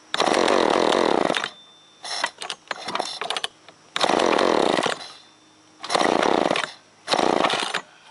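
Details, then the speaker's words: Chainsaw that fouls and wets its plugs quickly (ran Sunday, then died), restarted on choke with trigger in: it kicks, then revs in rough, uneven bursts and stumbles between pulls, lacking power. Spark and fuel to be checked; cause unconfirmed. "Yeah, it just needs a little more punch, I think."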